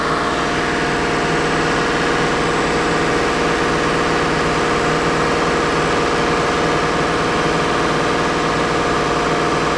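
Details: BMW N63 V8 held at 2000 rpm with air filters fitted during intake valve carbon cleaning: uneven, stumbling beat under a steady roar; misfire on cylinder 7 with good plugs, coil and injector, leak-down traced to carbon-fouled intake valves.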